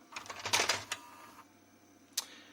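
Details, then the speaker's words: JVC HR-S9500MS VHS recorder with heads just cleaned, after it earlier made a bad noise and shut off, loading a cassette: quick clicks and whirs, pause, then a clack as it labours; owner suspects a tired loading belt, tape then plays. "Donc il est pas ultra heureux. Peut-être qu'il n'arrive pas à charger la VHS correctement parce que la courroie elle..."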